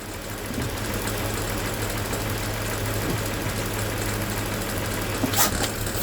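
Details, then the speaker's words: Towed-in crank no-start car with water-contaminated fuel, running about 5 minutes on a supplemental fuel source with injector cleaner: steady, even low idle on its own with no misses, knocks or stumble. Normal idle. "It is officially idling on its own. I'm right here. No hands."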